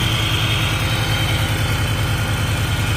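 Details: Idle while brake cleaner is sprayed around the lower intake to check for a vacuum leak. A smooth, even low pulse with no speed change or hunting. No sign of an intake air leak.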